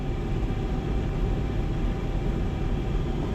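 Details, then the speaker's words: About 30-year-old (1995/96) Rheem 90-plus gas furnace blower motor, bracket screws previously loose: a steady low drone with an uneven throb; vibration slightly less than before. Suspected unbalanced blower wheel or worn brackets; blower vibration. "sounds like the vibration has kind of gone down a little bit it's not as bad as it was"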